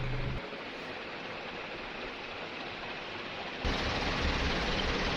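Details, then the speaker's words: Newly installed Sanex FC56 ceiling fan at speed 3, very strong and described as sounding like a helicopter. An even, unbroken whoosh of air that grows louder; normal high-speed running. "Kenceng banget ya ini. Suaranya juga kayak suara helikopter gitu."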